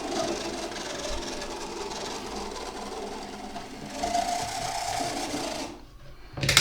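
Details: Second-hand Oxford Rail OR76AR001 Class 415 Adams Radial 4-4-2T model locomotive running forwards and back on the test track; small motor gives a dry raspy buzzing whirr; owner suspects it needs lubrication, before servicing.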